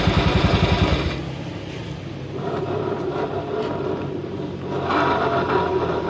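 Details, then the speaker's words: Honda Beat-FI scooter, still new, runs with a harsh, gritty, pulsing rumble from the CVT from worn CVT bearings due to missed regular servicing; drive belt also cracked. "cukup kasar bunyinya Syahrini penyebabnya karena tidak diservis secara berkala"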